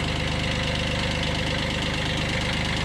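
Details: 1991 Kubota B7100 HST diesel tractor after fuel filter change and radiator stop leak, started on glow plug at low throttle: steady diesel idle with even, quick clatter and firm low beat, no misses; running cleanly.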